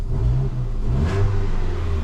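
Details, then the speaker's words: Ford Fiesta 1.25 Zetec misfire fixed: a clean, even rev rising and settling smoothly with no stumble or popping; firing evenly on all cylinders. "no missfire we done it listen to a p now get up there one happy customer"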